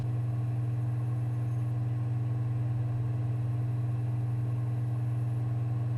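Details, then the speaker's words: Sony PSX DVR DESR-7000 with Matrix Infinity v1.93 modchip booting Half-Life disc: after a pause, steady even low hum of disc spinning, no clicking or seek chatter; optical drive reading normally and booting quickly. "but once it does start to try to read it it sounds fine and it boots really quickly"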